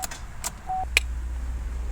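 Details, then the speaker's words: 2012 Chevy Cruze 1.8L, low on oil: key turn gives a few sharp single clicks over faint fuel pump hum, engine never cranks; blown fuse starving the starter, click no crank. "you can hear fuel pump has gas that starter just"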